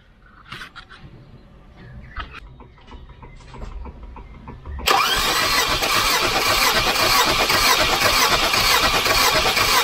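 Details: Volvo 240 Redblock B230 with years of piston slap, cranking during compression test: steady, even beat about two per second, sounding healthy; readings about 170 psi across all cylinders (minimum 128); normal cranking.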